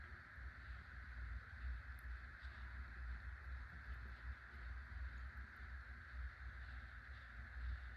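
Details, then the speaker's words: Hunter (CEI) Low Profile V ceiling fan from 2003 running on low after bearing replacement: only a soft, steady low hum, much quieter than before, with a slight wobble. "It's much quieter with new bearings, and still has a little wobble, and it blows good amount of air."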